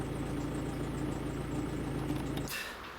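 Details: 2009 Opel Corsa 1.3 diesel, injection pump and injectors recently repaired: dull, regular knock about three times a second at idle until shutdown; no metal shavings in the oil filter; crankshaft bearings or a hydraulic lifter suspected. Crankshaft bearing knock.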